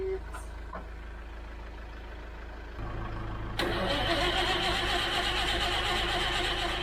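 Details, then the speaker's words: Citroen HY72 van, not run in 8 years, off road 40 years, no fuel tank fitted: steady cranking about four turns a second, spinning freer as oil circulates, but never fires; cranks but won't start, cause unconfirmed, spark plugs inaccessible. "and yet still nothing it was starting to turn over a lot nicer i guess because we've cranked oil around the entire engine now but no fire"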